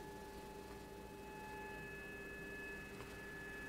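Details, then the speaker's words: Kenwood TS-440SAT ham radio receiver with microphone near the speaker: steady pure whine at several fixed pitches over soft hiss, changing with gain; not seen on the accessory jack audio output. "you hear that whne let me put the microphone near the speaker there's a wine on my audio"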